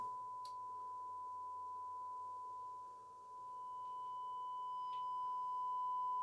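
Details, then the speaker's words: Nordmende Super 250-9 tube radio with EL41 output tube, after power supply and audio section restoration, previously low audio; tubes warmed, volume at maximum, 200 V 100 mA draw; steady clean loud test tone, no hum or crackle; audio working. "let the tubes warm up a bit i've got this on maximum oh here it is oh that's pretty loud that's pretty loud"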